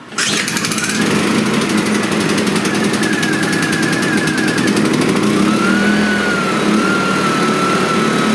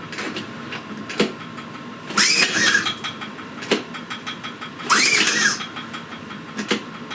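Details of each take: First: Suitcase generator after starter cord repair, choke on, primed, fuel on: engine catches immediately and settles into a steady, even buzz with no misses or knocks; running properly. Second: Silent suitcase generator after a starter cord repair, choke on and primed: two recoil pulls spin it briefly but it never catches because the engine switch was left off. Cranks but won't start.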